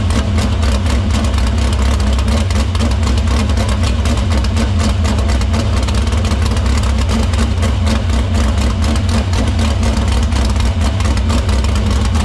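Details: Dirt Silver Crown race car at a fast idle in the shop after fixing the line, cleaning the filter and routing fuel through the pump and main lines to the barrel valve. A strong, even beat with no stumbles. Fuel system checks out: normal running.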